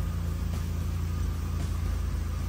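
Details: VW MK1 with a 1.8T swap, temporary clutch cable, AC not yet charged, retune likely: smooth, deep and even idle rumble with no knocks or stumbles; the engine idles normally and quietly.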